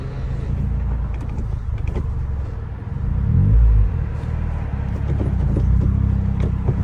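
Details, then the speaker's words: Turbocharged Toyota Corolla, original transmission: low, uneven rumbling grind under the engine note as the car strains in gear. No reverse, first gear impossible, something grinding inside the transmission; later swapped to an EC60 6-speed manual. "It is really I can't even get in reverse right now, but it looks like it might want to go forward, but it definitely sounds like something's grinding inside the transmission."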